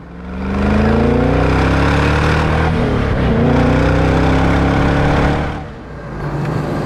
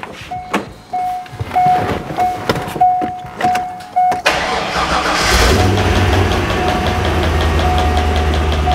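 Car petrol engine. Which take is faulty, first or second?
second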